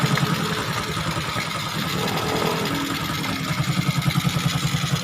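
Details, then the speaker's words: Honda XRM125 after top overhaul idling with air cleaner off: hissy sucking from open carburetor intake over regular beat, only carburetor noisy, fine once air cleaner fitted; normal idle. "carburetor na lang yung maingay. Pag may air cleaner na yan, all goods na yan. Tahimik na yan."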